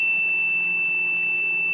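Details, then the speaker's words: Homemade generator prototype putting out a steady 17 volts DC, inverter switched on with low milliamp output: steady high-pitched squeal around 2.8 kHz that slows slightly; inverter straining on weak input, cause suspected. "As you can hear, it's squeaking away, and that does slow down slightly. This is the really weird part about this whole thing."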